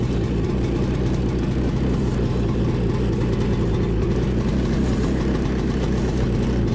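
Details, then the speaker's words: 2017 Ski-Doo Skandic 550 WT two-stroke snowmobile, cold start at -10 °C after a week unused, following a drive belt replacement: deep, busy burble holding a steady idle with a slight rasp; normal cold start idle. "Not been started for a week, so you'll have to see a cold start. It's -10 today."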